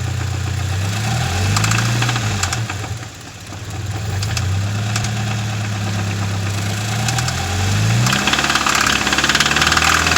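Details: 2013 Subaru BRZ engine revved twice: a fine light valvetrain-type ticking rides over the engine and quickens with rpm; cause unknown.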